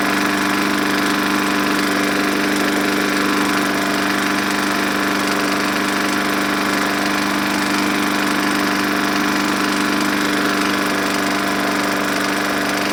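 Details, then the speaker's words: Junk walk-behind lawn mower running on just enough fuel after priming, air filter and cover missing: small engine at steady speed, harsh and buzzy with an uneven rattle running through it; cause still to be checked. "okay smokey but it started that's a good start a little rattly we'll have to look at that"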